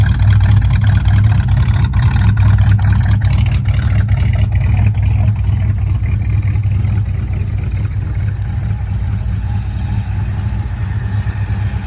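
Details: 1979 Ford Fairmont two-door police car running from its tank on five gallons of fresh fuel: a deep, even low rumble with a steady beat and no knocks or misses, idling smoothly.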